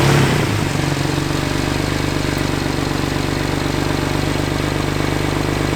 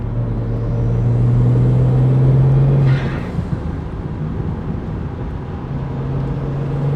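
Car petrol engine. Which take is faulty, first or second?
first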